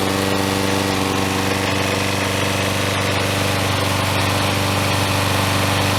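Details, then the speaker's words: Troy-Bilt self-propelled mower with a 6.75 HP Briggs & Stratton engine, after replacing the broken intake tube, broken carburetor throttle linkage and an out-of-balance blade: steady, even single-cylinder putter with no misses or knocks, running properly. "Sounds much better. And Propelled works very nicely."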